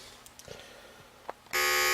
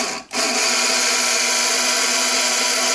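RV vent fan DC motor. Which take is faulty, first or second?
second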